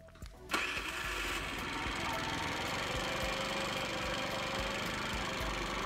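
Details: 4-stroke scooter after moving the ignition pickup from a 4 mm to about a 2 mm gap from the flywheel, previously no spark: brief crank, then fires at about half a second and holds a steady, light idle; spark restored.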